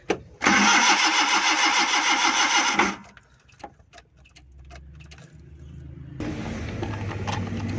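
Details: Suzuki Ravi (Euro) on petrol/CNG with a morning starting problem: the engine cranks at a steady even beat for about two and a half seconds and never fires. Crank, no start from a faulty gas kit relay supplying no gas.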